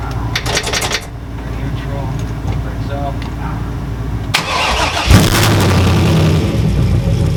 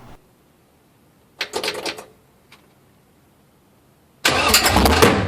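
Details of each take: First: 6.0L V8 Trans Am build first run with muffler: catches after short crank, settles into steady deep V8 idle, takes throttle blips without stumble; stayed cool, heater hot, about 60 psi oil pressure; normal start and idle. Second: 6.0L V8 swapped Trans Am, first fire-up running open headers with no exhaust: brief sputtering crank, then a sharp bang and loud rough roar; backfire fireball through the headers.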